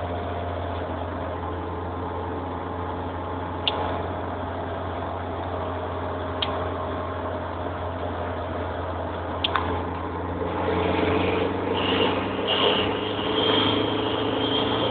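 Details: Redtop SR20DET under boost: steady engine hum, then a high, wavering chirp with a gritty grinding edge as it pulls harder; owner suspects a loose turbo exhaust wheel or bad wastegate flap, doubts a manifold leak; unconfirmed.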